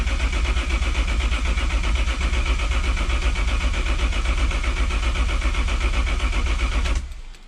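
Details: BMW E36 with swapped Toyota 1JZ engine cranked with fuel pump relay pulled (no fuel, no spark) to check oil pressure, previously started without any; steady even cranking, no clatter or grinding; reached 25 psi.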